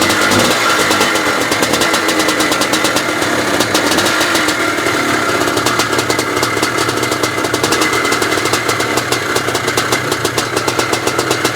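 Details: 1982 Maico 490 two-stroke motocross bike, first start after standing 8 years with only a carb clean, kicked on half compression: sharp rapid popping holds steady over ten seconds with small rev changes; runs on its own.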